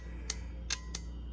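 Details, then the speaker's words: Bosch 3-channel ABS hydraulic unit from 1989 Mercedes 560SEL, bench test: yellow-black wire energised, three crisp clicks over faint hum as the valve relay pulls in normally. "this is the black relay is coming on."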